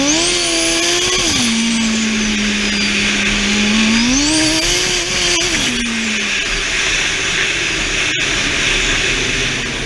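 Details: Twincharged engine, day two full-throttle data-log runs, boost uncontrolled even on wastegate spring, thought to have hit about 20 psi once or twice: screams up, pitch drops hard and climbs again with sharp pops repeatedly slamming boost cut; conservative timing, knock found earlier and fixed.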